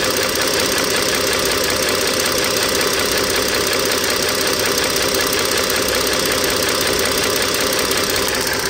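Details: 2009 Dodge Journey SXT 3.6L V6 at idle: busy, uneven but constant light ticking under loud engine hum; owner believes rocker arm and shaft assembly is at fault and needs replacement.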